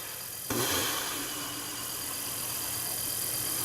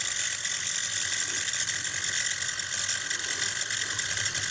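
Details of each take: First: Stellaphone ST450 reel-to-reel tape recorder, 61 years old, restored with a new belt kit, running for the first time in perhaps 40–45 years: the motor kicks in sharply, then settles into an even, airy whir with no rubbing, so the tape drive runs smoothly. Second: Stellaphone ST450 reel-to-reel tape recorder, 61 years old, during restoration with a new belt kit fitted: a steady, busy whirring and ticking from the drive mechanism runs loud throughout with no deep tone, so the motor is noisier than it should be.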